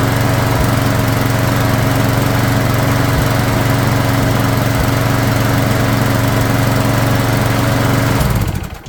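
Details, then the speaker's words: Craftsman lawn mower flathead engine after tune-up, warped carb fixed with a second gasket; single-cylinder runs strong and even at steady speed, no misses, then shut off; runs great but needs a valve job. "So, it runs great but unfortunately it needs a valve job."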